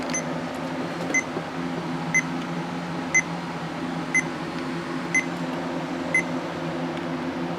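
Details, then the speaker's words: Laptop repeating a single short high beep about once a second over a quiet fan hum, not posting at all after a hard drive change; it also blue screened with an unmountable boot volume, and the owner suspects a bad motherboard. "Clearly there is some kind of a problem here. It is not even posting at all. I don't know what the deal is. I think we got a bad motherboard."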